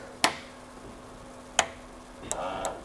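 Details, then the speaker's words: Fuel injectors from an '83 square-body truck, pulsed in an ultrasonic cleaner: sharp, crisp single clicks every second or so over a faint hiss. Injectors are working normally. "that one clicked that one clicks so they're working"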